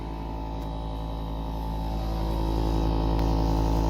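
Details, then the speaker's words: Appliance with door locked but not operating: steady low buzz with a rough pulse about three times a second, growing slightly louder; technician suspects the control panel, not confirmed. "now i i got door locked and it's giving me some kind of noise it's not operating there"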